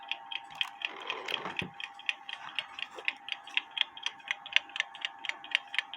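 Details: Kienzle carriage clock (made 1898–1923), not working before, movement cleaned ultrasonically and hairspring collet turned to set beat: light, sharp, evenly spaced ticks about four a second with no limp; clock now in beat.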